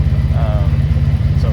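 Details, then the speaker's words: 1983 Honda Magna V45 VF750C V4, 12,000 original miles, warm, no choke, idling at factory 1,000 rpm, dual exhaust: steady even low throb with no tapping, misses or exhaust leaks; normal warm idle. "so as you can hear uh there's no um no tap it noise doesn't seem like any exhaust leaks um definitely pretty throy"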